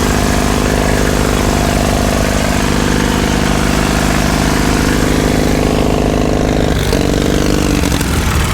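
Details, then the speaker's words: 1951 Caterpillar D2 diesel, first start after checkover: steady even chuff with firm low beat, no misses or knocks, no smoke, oil pressure up; fuel pressure still low, transfer pump suspected. "That sounds pretty good. No smoke. We've got oil pressure yet."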